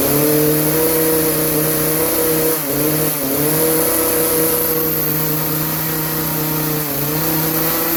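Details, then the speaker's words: Craftsman chainsaw, warmed up, before carburetor adjustment: held wide open, it stays at a flat, capped note with brief sags and won't climb higher. It bogs under load and runs lean; the high-speed jet needs opening for more fuel. "high-speed jet it needs a high-speed jet opened up a little more so it'll get a little more fuel it's just struggling on the high end"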